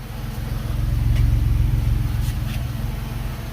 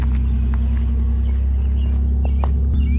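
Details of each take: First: Early-2000s Pontiac Montana van, 3.4 V6, first start after aftermarket muffler install fixing an exhaust leak: brief rev then smooth even idle, soft exhaust note, no puffing or ticking leaks; normal idle. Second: Early-2000s Pontiac Montana V6 van idling with a steady deep exhaust rumble from a small exhaust leak, exhaust hanging down a little; ABS and check engine lights on; not as bad as expected.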